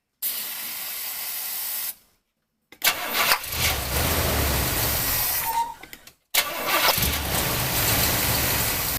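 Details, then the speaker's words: Engine cranked by a JFEGWO 8250 jump starter after starting fluid, possibly with no gas in the tank: three bursts of steady cranking, none firing or catching; cranks fine but won't start, cause suspected, not confirmed. "I put starter flu and it probably start now perhaps a little more starting fluid"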